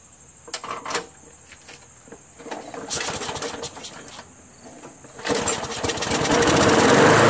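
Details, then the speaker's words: Craftsman push mower with Briggs & Stratton Quantum 4.75 engine after carb seat, gasket, air filter install and reattaching governor linkage spring; clatter then catches and settles into steady, even drone, previously sluggish with RPM too high: normal running speed. "damn runs good huh sounds great now before I was sluggish and those rpms were high now it's just right"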